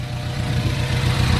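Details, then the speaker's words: Ford Focus ST after engine swap, idling while coolant is burped, downpipe on, no leaks seen, low on fuel; steady, even low idle with no misses or knocks; running well, normal idle. "So yeah, we're just letting it idle. It's running pretty right now. It sounds good."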